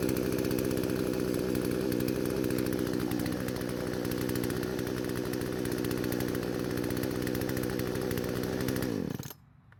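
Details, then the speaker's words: Poulan chainsaw that would not start despite spark, fuel and compression, now after repair and carburetor adjustments (L screw about half turn counterclockwise, idle screw): steady, even high-revving buzz without stumbling or surging, then shuts off cleanly; normal running. "I was quite surprised I had to make so many small adjustments to get this engine running right."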